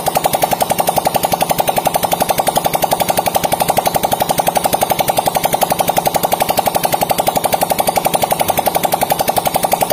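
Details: Yamaha Vega ZR after fixing a seized camshaft with valve clearances set at 0.10 and 0.08: an even, steady putter of about four beats per second with no ticking or knocking. It idles smoothly.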